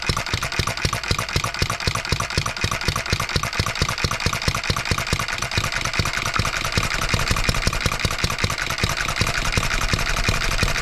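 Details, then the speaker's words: 1988 small engine, last run date unknown, after crankshaft trued to about .0015 in runout and valve timing roughly set: rapid, even pop-pop firing building slightly; runs with some misses, fuel system needs cleaning, governor spring speed not yet adjusted. "I think we're going to be doing some speed adjustment now here with this governor spring"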